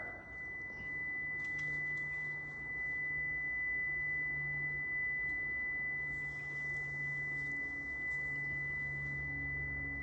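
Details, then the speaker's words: Prevost bus (Marathon conversion) brake warning buzzer: steady high-pitched tone over quiet air noise while brakes held during air pressure hold test. "okay that warning sound the alarm is very annoying it's coming from this"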